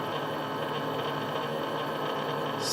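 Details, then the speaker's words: Stepper motor at about 6.5-6.8 milliseconds per step: buzzing hum with rough, wavering edge as it hits resonance, skipping steps and jerking back and forth in both directions. "il fait des pas dans un sens dépendant l'autre c'est parce qu'il veut faire 6 45 soit mieux"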